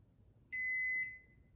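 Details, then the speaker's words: GE QuietPower 3 dishwasher, model GLD4500N10WW: a single high beep that repeats about once a minute as a door-open reminder, with lights flashing and buttons dead, caused by a broken door interlock switch (WD21X10224). "And if you've opened the door in the middle of a cycle, you'll hear that sound about once every minute. It's reminding you to shut the door so it can keep running its cycle."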